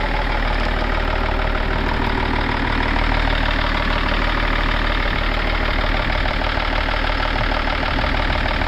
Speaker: Yeah, sounds good. Call a bit of a diesel knock, but no. [Applause] It's quiet down though.